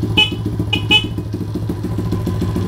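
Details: Honda CT70 Trail 70 with 12-volt conversion, before rewiring, when only the horn worked: three short, clear honks over a steady thumping single-cylinder idle; horn working normally.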